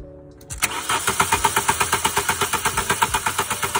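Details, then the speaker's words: VW engine cranks but won't start, no spark: steady cranking at about three beats per second, no firing. Hall sensor signal confirmed with a diode test lamp, so the ignition coil is faulty; with a new coil it started immediately. "Gut. So, Signal ist vom Heilgeber da. Das heißt, die Zündspule ist kaputt."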